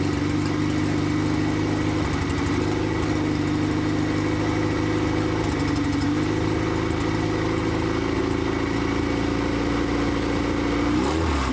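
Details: 1993 Honda Civic EG hatch, built LS VTEC (Manley rods, CP forged pistons, CSS, built B16 head, GSR cams, stock injectors, no turbo) on first start, open header, no throttle cable: steady, even idle with firm hum, no misses or stumbles; running smooth.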